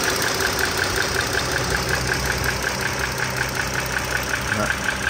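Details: 2009 Dodge Journey SXT V6 (stated as 3.5 L or 3.6 L) at idle, mic close to the engine: a crisp, high tick about 160 times a minute; owner believes it is the rocker arm and shaft assembly, not the pistons or transmission.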